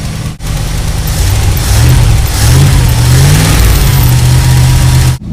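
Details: 1984 Dodge Ram W250 carbureted V8 after replacing failed fuel pump, filter, hoses and carburetor; deep V8 climbs and falls through several smooth revs with no misses, pops or knocks; pulls cleanly, healthy.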